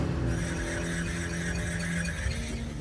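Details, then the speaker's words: Truck driving after an off-road trip: a steady high screech over the low road rumble, traced to a bent skid plate rubbing the spinning driveshaft; wheel spun by hand was silent. "I'm inside a customer's truck he went for a little off-road adventure and he came back with this weird noise"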